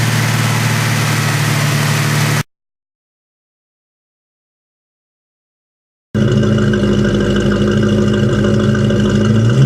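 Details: Ford Mustang at idle and revs: uneven, stumbling note with an irregular pulse of about 220 beats a minute; a misfire whose cause the owner cannot find.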